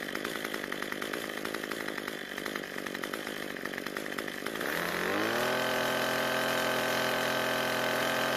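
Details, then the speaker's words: Cub Cadet two-stroke trimmer after L screw turned about a quarter turn counterclockwise: steady clean idle buzz, then smooth rev to high even whine without stumbling; idle mixture corrected, normal. "we got really lucky and we didn't need to adjust it that much"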